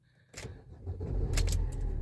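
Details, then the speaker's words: 2015 Fiat Fiorino diesel van after fixing no-start (bad earth strap reconnected, four new glow plugs, oil changed): key jingle, engine fires immediately into steady even low rumble, no warning lights; normal start and idle. "No lights. Starts perfect. Lovely."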